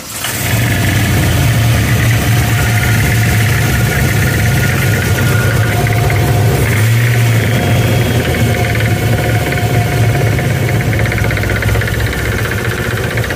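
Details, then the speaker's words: Camaro on Hot Rod Power Tour, started at a gas station: deep rough drone with uneven knocking at idle, first feared a rod or clutch; traced to a flexing standoff on the March Performance accessory kit's bottom pulley under belt tension. "so after some investigation we believe that the standoff for the March performance kit yeah come here and you can see this it's uh what's that bottom bully down there see how it's flexing"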